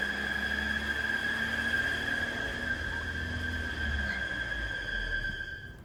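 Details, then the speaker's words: 2017 Volvo V40 2.0 petrol at idle, revving up on its own: steady high whistle and loud suction at the oil filler cap, clear sign of a blocked PCV valve; fix is replacing the top cover PCV valve and side breather valve. "loud sort of bit of suction. Just hear all the suction from the cap there. That's just a quite clear sign that the valve's blocked."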